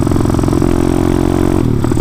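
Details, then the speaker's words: CT two-stroke motorcycle on its first ride after sitting about nine months, cruising under throttle: uneven engine note with rapid stuttering pops; carburetor mixture off, rich or lean unclear, needing carb tweaking. "i can't tell if it's a rich pop or a lean pop cruising but bad hopefully it doesn't do it during the wheelie"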